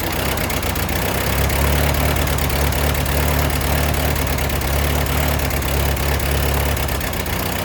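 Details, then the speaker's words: Ford 8N tractor that sat in a field 10-plus years, rebuilt carburetor still being adjusted, float height unchecked: fast, steady idle at about four beats a second that holds high and won't settle to a slow idle; owner expects it is fixable. "It likes the high idle. It seems like that's something we can certainly fix."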